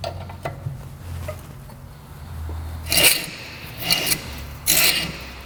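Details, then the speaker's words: 2003 Nissan Sentra front brakes after a brake job, wheel turned by hand: hissy scraping about once a second from rust coming off the rotor rubbing the pad; expected to go away. "see that rust that came out that's what's making that noise it'll go away but if not we'll have to come back in here and get rid of it"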